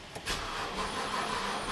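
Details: 2009 BMW 328i that has not started since a dealer warranty valve cover gasket job, with the fuel pump and its driver module already replaced: a brief starter whir with no firing. Crank, no-start.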